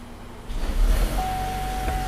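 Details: 2014 Chevy Volt in engine mode after new valve cover/seal and PCV replacement for whistle/squeal: catches and settles into a steady, even idle with no whistle or hiss; normal idle.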